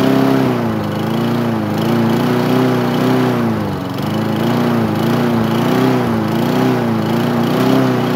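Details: Craftsman lawn mower single-cylinder engine, first start after nine months sitting; steady drone with gentle rise and fall in pitch, no misses or knocks, running normally.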